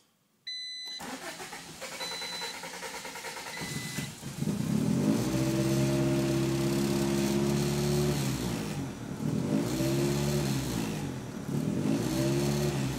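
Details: Honda CRX with B18B engine: starter grinds about three seconds before catching, then revs surge and sag unevenly; hard start with long crank, slow to die at shutoff, owner suspects vacuum leaks, unconfirmed.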